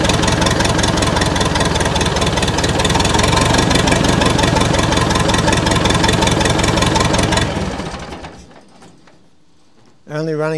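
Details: Massey Ferguson 178 diesel cane haul-out tractor, sitting for years: chugs in rough, fairly regular beats for several seconds on ether, then fades and dies; injector pump suspected of not pumping enough fuel to the injectors.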